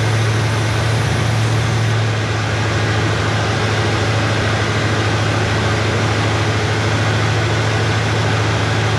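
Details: Chevrolet Nova Super Sport V8 idling after the distributor was replaced with a vacuum-advance unit; choke needs adjusting, good vacuum. Low steady burble, speed settling slightly early, then an even beat with no skips: normal idle.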